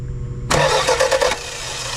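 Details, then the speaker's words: 1991 Toyota Celica that stopped running after a timing belt job, cranked after battery charging while checking for spark; spark is present, starter churns in quick even bursts without the engine catching; cranks but no start, fuel problem suspected. "I think I see some spark do it again just crank on it there until I tell you to stop we got spark"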